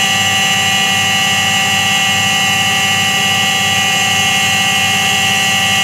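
Loud steady roar with a high whining hum riding over a slow pulsing rumble as the drum spins, typical of a worn bearing.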